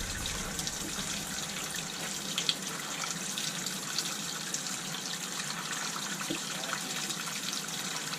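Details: Water turned back on, hot and cold, through new temporary PEX construction lines in a fixer-upper, with SharkBite fittings joining the PEX to the old pipe; steady even hiss from the tap, no hammering or air, normal flow.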